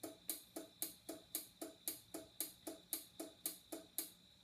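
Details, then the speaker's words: Liftmaster/Chamberlain-type garage door opener refusing to close, light blinking about ten times with rapid relay clicking because a rag blocks the safety sensor beam; fix is aligning and clearing the sensors. "I turn it back on the light bul blinks about 10 times or you hear that clicking noise so"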